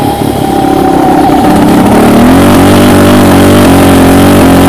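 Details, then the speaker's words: Raptor 700 ridden during a clutch switch test; revs rise, then the note stutters and chops about four times a second like a rev limiter when the clutch switch is pushed in; cause unconfirmed. "let me just get out on the street here and open it up yeah I see as soon as I push that in"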